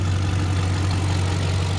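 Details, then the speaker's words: BMW 540i V8 running after water pump replacement while coolant bleeds, still leaking slightly: a rough, slightly uneven idle with no clear ticking; owner suspects an exhaust leak and hopes nothing internal; burning smell noted. "It sounds a little rough. It definitely sounds like an exhaust leak, so I hope it really is just an exhaust leak and nothing internal."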